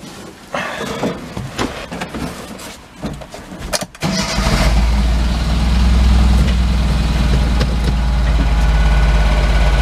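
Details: 2008 Chinese-made TMAG mini truck: cranks, catches and idles with lumpy, uneven hit-and-miss beat about three per second, sluggish; owner guesses timing belt jumped a tooth, unconfirmed; uneven running engine.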